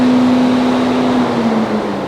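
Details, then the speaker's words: Mini Cooper S, radiator fan triggered manually via diagnostic computer after battery reconnected: smooth, even electric hum at one steady pitch easing slightly at the end; normal radiator fan operation. "so that's what i'm manually operating if i'm just going to trigger the component [Music] i can hear it so that's the fan working"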